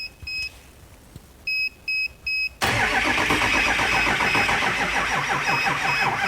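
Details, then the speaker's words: 2005 Ford F-350 6.0L diesel cranking on a 1000A peak portable jump pack after it charged the batteries a few minutes: three beeps, then strong even cranking about 160 per minute; judged it probably would have started. "think that probably would have started so we're gonna go ahead and put her jump back up here to starting attempts"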